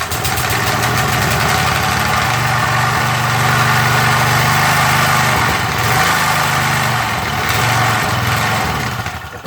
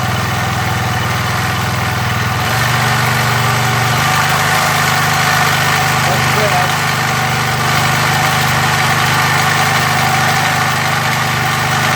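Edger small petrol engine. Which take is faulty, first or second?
first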